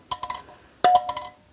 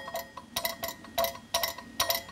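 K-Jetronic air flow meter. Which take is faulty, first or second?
second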